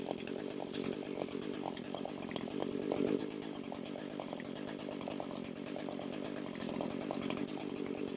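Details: Echo SRM 225 two-stroke string trimmer that wouldn't start, oil-leaking after a shop repair, in a no-tools crankcase air-leak check; even buzz at steady revs with no sag, no appreciable RPM drop, no sign of an air leak.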